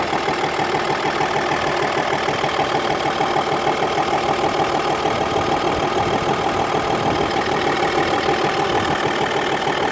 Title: audi a6 c5 2.5 tdi engine knocking